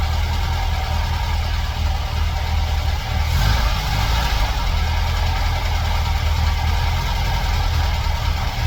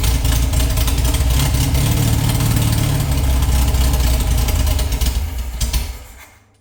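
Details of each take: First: Air-cooled VW flat-four rebuilt from parts, bench-run before fitting in a '58 Beetle: even, steady run with a brief rise in revs near the end; fresh rebuild runs fine, timing and carb tuning still needed. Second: Air-cooled VW flat-four rebuilt from a pile of parts, unknown when last run, float bowls filled by hand: lumpy, uneven beat near 220 pulses a minute that sags and stalls; oil in cylinders burning off with lots of smoke.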